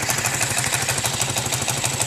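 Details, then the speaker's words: Motorcycle single, silent before a cylinder-head rebuild (valves, seals, guides replaced), knocking since: crisp, even tapping on every firing stroke at idle; mechanics variously blame piston, con rod or crankshaft. Cause unconfirmed. "aí quando voltou da oficina voltou com esse barulho um barulho eu vou ligar PR vocês verem"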